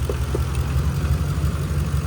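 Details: 2011 Ram 1500 5.7 Hemi 4x4 idling on a temporary jumper bypassing the failed fuel pump relay inside the TIPM, after crank-no-start: deep steady low rumble, even beat, no misses or knocks; normal idle.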